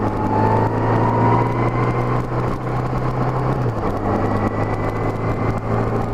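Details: Honda GL1200 Gold Wing after Honda Service Bulletin #10 carburetor kit fixing low-speed partial-throttle hesitation: engine note climbs evenly on light throttle, no stutter; clean steady pull.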